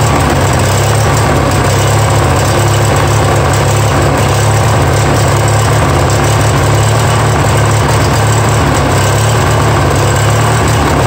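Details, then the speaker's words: Yard Machines mower, 20 hp twin with 42-inch deck, obtained free, first start: low, uneven, lumpy chugging that won't idle down. No knocks heard; owner suspects the carburetor needs work. "that issue boys they are not even won't even idle down soul yeah so we need obviously some carb work"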